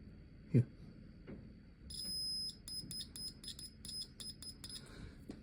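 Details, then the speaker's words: Triumph Sprint 955i RS neutral indicator check, bike in neutral: sharp high continuity beeps each time the probe grounds through the neutral switch, so the switch works; the dash lamp still fails to light, wire to it looks crusty. "that tells us Mr switch is fine Mr wire if I Earth him out should go up to the light on the dash and illuminate it"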